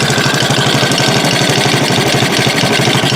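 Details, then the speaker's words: Chinese 50cc Honda-clone kids' ATV at idle: fast, light ticking clatter from the top end over a steady idle; owner thinks it needs a valve adjustment. Valve train clatter, cause unconfirmed. "she's running you can kind of hear the top end sounds a little cocky on it"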